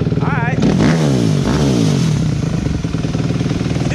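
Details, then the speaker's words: 2003 Yamaha Banshee two-stroke with stock exhaust, ridden; crisp crackle picking up cleanly with throttle, no knocks or rattles; healthy running. "oh my God that was so good ride good she sounds good though"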